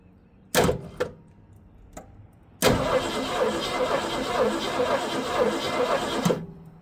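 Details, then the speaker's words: 1965 Ford Mustang 289 V8 barn find, parked 29 years: starter cranks evenly about four seconds without catching while testing for coil spark; no spark, points may need more cleaning or replacement. "Still got nothing coming out of there. Have to do a little more cleaning or you might might have to get a uh a set of points even."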